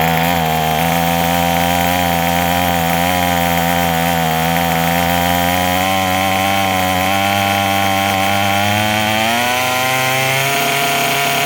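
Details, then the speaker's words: Craftsman 27cc two-stroke string trimmer, made January 2013, restarted after it suddenly stopped: steady fast-idle buzz, pitch creeping up and settling, even and smooth; running normally. "Okay, so I got. Let's give it a try. sounds pretty good."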